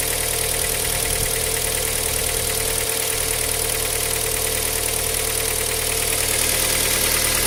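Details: Cold engine at idle with a steady, quick tapping knock of about three beats a second over the idle; cold-start knock, cause not known.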